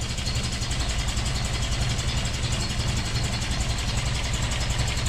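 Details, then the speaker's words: 1988 Toyota 22RE after head replacement and new fuel pump, first run: a lumpy, shaky idle with an uneven low thump and no steady beat; distributor installed one tooth off, so ignition timing was wrong. "warm up there friend I'm not sure 100 what it's doing"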